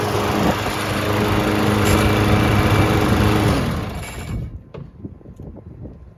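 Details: Lawn Boy 20-inch self-propelled mower after carb cleaning (the no-start was blamed on a badly oil- and dirt-soaked filter): the single-cylinder engine runs steady and even for about four seconds, then is shut off; healthy running.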